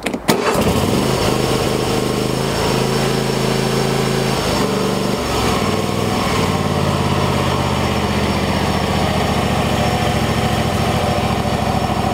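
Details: Troy-Bilt lawn tractor Kohler engine after choke cable fix for hard starting, final try with choke fully on: brief crank, catches at once, steady even idle with slight speed hunting; normal start and idle.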